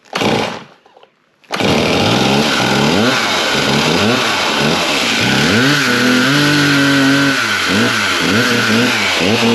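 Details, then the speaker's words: Large chainsaw started on choke, then half choke: it catches, settles to a steady idle and takes quick throttle blips cleanly without stumbling; running fine, needs only chain sharpening. "All right, that one there still seems like she's running."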